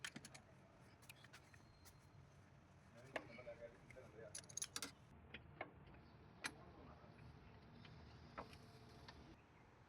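Keys jingle, then the engine cranks, catches and settles into a smooth, steady idle with no belt noise.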